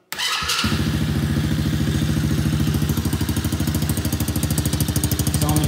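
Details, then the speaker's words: Small Chinese kids ATV four-wheeler after carburetor cleaning, run on a jumper battery for test fire before carb adjustment: fires first crank, settles into steady even putter with no misses or knocks — normal start-up. "we're ready to to test fire it in here and see how it runs get that carburetor adjusted"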